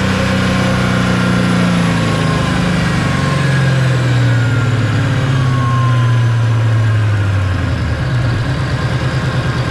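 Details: Supercharged Coyote V8 Ford Fairmont on dyno, about 900 rear-wheel hp, new Magnafuel 750 pump on boost-referenced return fuel system: loud deep roar staying clean and even as pitch sweeps down while unwinding; plenty of fuel, normal WOT run.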